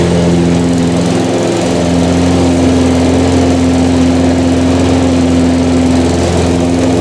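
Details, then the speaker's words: Harbor Freight 173cc single-cylinder lawnmower engine with fresh oil: steady even drone at lowered speed with no misses or knocks; slight oil burn at startup, owner suspects from transporting it with the cylinder head tipped down. "Yeah, it burnt a little bit of oil on startup. I think that was from how I loaded it into the truck."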